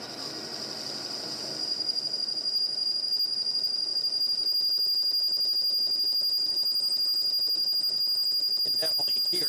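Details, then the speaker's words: Lathe turning a motor adapter for a vertical electric motor, an interrupted cut through hard spots. A sharp, steady high squeal rides over rapid pulsing about four times a second: tool chatter. Lighter 10-thou passes preferred. "There's some hard stuff, and I'm getting a lot of chatter."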